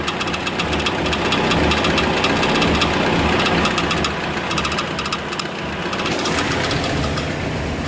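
A rapid, fairly even knock, close to four a second, rides over a steady running engine; the source can't be pinned down by ear.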